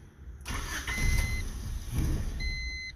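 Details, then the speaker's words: Honda Civic with misfires at top end, check engine code 8 (TDC sensor, distributor suspected bad), catalytic converter glowed red hot earlier; old part refitted: short crank with beeps, then engine putts, surges and stumbles instead of idling. Distributor replacement planned. "yeah that's about what it does kind of putts parts stumbles"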